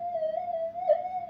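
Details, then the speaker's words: Modified GPX metal detector on the bench in mono mode near mains power, 0.05 test piece; steady warbling mid-pitched whine with slight wobbles; mains interference, response greatly dampened by the anti-interference modification so small target audible through it. "Now, it's going to pick up interference, of course. But the interesting thing is, the interference response is greatly dampened."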